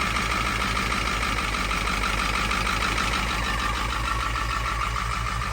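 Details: Diesel after winter storage at 11°F, filter filled and system primed after 15-20 minutes to thaw tank. Uneven lumpy idle clatter, pulses near 200/min wandering in strength; owner suspects air in lines and bad, gelling fuel.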